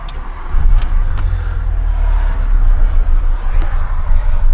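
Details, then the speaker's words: Car started after coolant work with throttle body disconnected: deep uneven surging engine note, running very rough; throttle body had reset, fixed by adaptation relearn with Launch 601 scan tool. "don't know if you can pick that up but yes Emil's on running really rough so I've just got the uh launch 601 on it"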